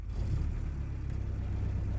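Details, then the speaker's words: World War II Jeep, semi-warm after sitting an hour or two, first start on newly fitted surface-discharge spark plugs: catches almost instantly and settles into steady low rumble, no hesitation or misfire; started better than usual. "Hey! That started really well. That launched off there. It doesn't usually launch off quite that well there."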